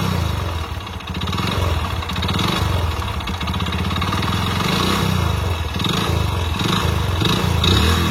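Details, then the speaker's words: Hero Splendor Plus single-cylinder motorcycle with a failed engine: rough clattering knock following the engine beat, louder as revs rise; connecting rod (big-end) knock. "Engine sound engine పోతే ఈ రకంగా అయితే sound అయితే వస్తది అన్నమాట"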